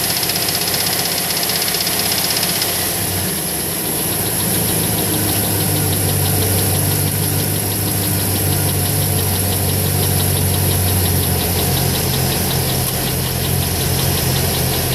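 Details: 2008 Chevrolet Trailblazer SS V8 idles with a regular knocking about four times a second over a deep drone; cause suspected, not confirmed.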